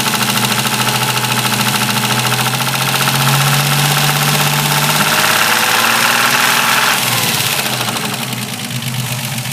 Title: Capri 2.8i Grinding Noise... Video 2